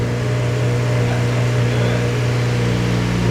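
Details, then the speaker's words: 8th-gen Civic Si after K20Z3-to-JDM K24 swap, idling just after first start: steady, even low hum with constant idle note, no knocks or rattles; sounds healthy. "like fired right up. What do you think? Sounds good. It does. Sounds healthy."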